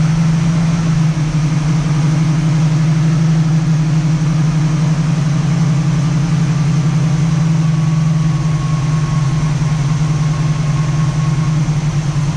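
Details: 1967 Camaro SS clone V8, first startup after sitting parked since 2000, a couple gallons of gas added, ignition hand-wired: deep steady idle burble, no knocks or misfires; healthy, nothing concerning yet, fuel possibly running low.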